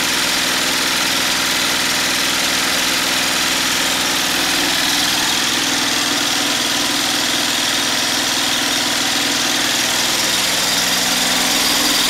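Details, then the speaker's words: Homemade 12V DC gasoline generator charger under full load (about 2000 W of heater dummy loads), alternator outputting around 80 A continuously without getting too hot; steady high-speed drone, no knocks or misses. Normal running under full load. "and there we go my inverter generator here is working just fine it outputs around 80 amps continuously it doesn't get too hot doing it"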